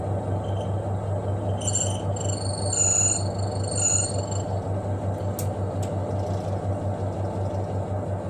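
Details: Twin-tub washing machine spin dryer after the shaft bolts joining the spin shaft to the tub were tightened to cure its squeak: a steady low hum with an even spin rhythm and a few light taps, no squeak; normal.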